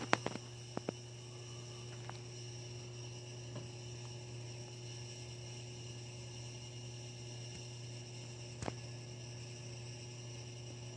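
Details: Hampton Bay Carriage House II ceiling fan running at a single speed, buzzing loudly: steady low electrical buzz with a thin high whine on top, unchanged throughout.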